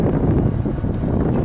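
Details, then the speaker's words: 1992 Chevy Astro Van heater blower motor after replacement, running on high: strong steady rush of air with no rattles, ticks or wobble; normal blower operation. "floor seems to be working really good high and even a nice low speed there"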